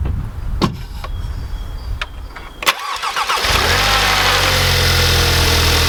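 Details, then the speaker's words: Audi TTS mk3 cold start after fitting APR coil packs and NGK spark plugs to cure rough running: cranks, catches, high cold idle with slightly uneven wavering beat; still running rough, fault not cured. "So we're just going to let it run through its cold start sequence, and then we'll see if it starts to idle how it should, or if it's still running rough, then we've got a deeper issue."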